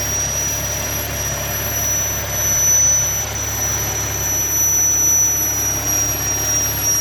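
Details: 2013 Audi S4 B8.5 with ported supercharger: a high, steady whistle over a smooth idle, unchanged in pitch, started after the blower was ported; vacuum leak suspected, not confirmed.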